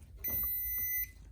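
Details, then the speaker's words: Small jump pack powering Pop-Up scissor lift: one long high steady beep of about a second as the pack switches itself off; owner suspects back feed from the lift motor cutting off. "So those beep when you put them on a car. When the car starts, the alternator tries to charge them and they cut off and they beep. So I suspect that was some kind of back feed from when the motor cut off."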